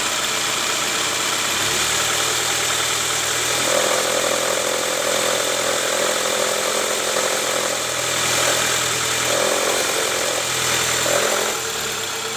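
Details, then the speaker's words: 2005 Toyota Camry 2AZ petrol engine at idle, before repair: a rough low growl under the engine note. Diagnosed as a worn timing belt tensioner, to be replaced during the timing cover and oil pan oil-leak reseal. "Guys jadi seperti itu bunyi ngoroknya itu udah kita analisa ternyata dari Tensioner nah ini kita mau sekalian ganti Tensioner karena kita bakal lepas juga tuh Tensioner untuk buka Kabupaten ini"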